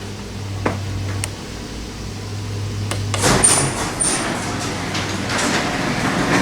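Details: Garage door opener closing via the button: steady motor drone under the rumble of the door travelling down, with no warning beep this time; the opener is closing normally.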